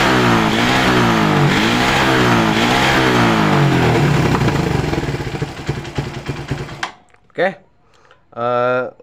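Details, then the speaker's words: Suzuki Satria FU 150cc motorcycle after fixing loose ignition coil cable connector: clean throttle blips, revs rise and fall smoothly with no stutter; normal revving, misfire fixed. "Oke untuk rebetnya hilang ya untuk penyakitnya sudah sembuh ya sudah normal tidak brebet lagi ya"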